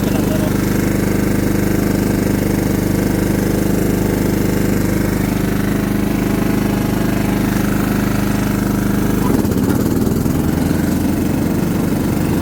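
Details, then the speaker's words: John Deere LT150 mower with replacement 15 HP Kohler engine, freshly swapped and mowing grass: single-cylinder pulls steadily with an even, smooth beat, no knocks or misses; healthy. "see all right she seems to do good we'll probably run it for a little while just burning all the oil off of stuff etc etc but uh she's ready"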